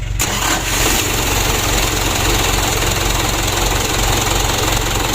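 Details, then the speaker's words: Mitsubishi Canter diesel after injection pump service and plunger replacement, previously hard-starting and wouldn't rev; starter not yet serviced, one battery weak: brief crank, catches almost at once, steady even idle, no misfire; now starts easily. "hidupnya sudah mudah teman-teman Toyota ke-10"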